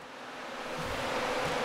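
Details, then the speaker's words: Cryptocurrency miner after control board replacement, just powered on: steady airy whir climbing smoothly as front fans ramp up, airflow felt, no rattles; normal fan spin-up. "all right i can feel it ramping up as well i can feel some some airflow coming from the front fans"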